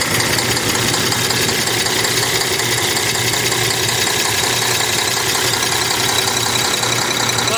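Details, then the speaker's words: Cummins ISX 870 truck diesel at idle after injector replacement and overhead adjustment, fan running: clatter with an uneven beat and occasional missed pulse; owner says it still sounds like a miss. "Still sounds like she has a miss."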